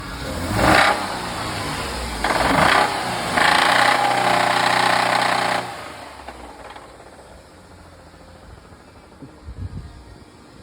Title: 2008 Jeep 3.8 engine knock